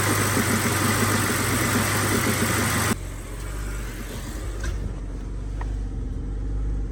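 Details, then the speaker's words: BMW 325i E90 with N52 engine, second start after replacing numerous parts for rough idle: lumpy, uneven idle with a stumble about four times a second; still misfiring, owner suspects crankcase ventilation (CCV) system, not confirmed. "Okay, this time started better, but it's still misfiring."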